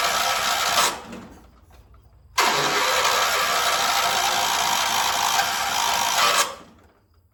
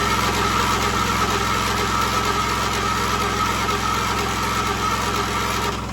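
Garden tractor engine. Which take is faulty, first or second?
first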